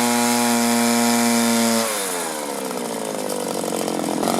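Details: 1983 Echo PB400E two-stroke leaf blower, carburetor never adjusted, warmed up: screaming full throttle sags in pitch then slowly climbs back; bogging and surging under steady throttle, cause not yet diagnosed.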